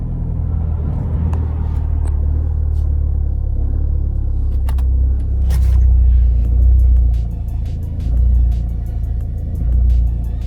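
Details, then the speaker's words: 2011 Vauxhall/Opel Astra 1.7 TDCi, stalling and surging mainly when cold, during a diagnostic rail-pressure test: the diesel idle swells and sags every second or so; rail pressure seems uncontrolled, with fuel contamination or the pressure control suspected. "can hear better now for sure surging pretty badly now it seems like he's not able to control the pressure in a rail for some reason"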